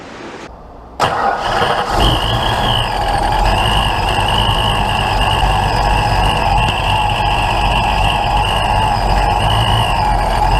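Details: Ford Mustang with a big cam, start with coolant filled to the cold level, before timing set: brief crank, then catches and settles into a steady, even idle with a light regular tick; starts and runs fine.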